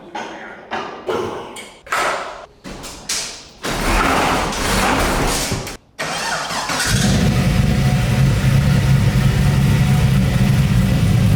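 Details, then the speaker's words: LS-swapped Nissan 240 after rebuild: a few short cranking bursts, then it catches and settles into a steady, even, deep idle with no misses; running well. "it's already running pretty good I'd barely turn to the key"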